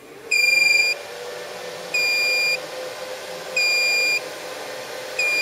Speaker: that noise beeping is just to say that one of the fans is disconnected.